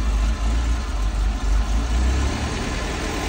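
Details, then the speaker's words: Mazda E1600 Bongo ute, just revived and first started on choke. Low engine running with a slightly unsteady, wavering beat that keeps going only with the choke on. Owner plans to adjust the idle screw; cause suspected, not confirmed. "this is the problem so it won't keep running without the choke so I think I've got to adjust the idle which is one of those screws in there"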